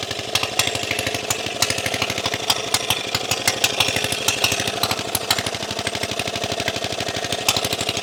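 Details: Briggs and Stratton Model FH single-cylinder engine after carburetor throttle shaft repair, mounted on its skid: fast, even firing beat holds steady with no misses or knocks; running normally.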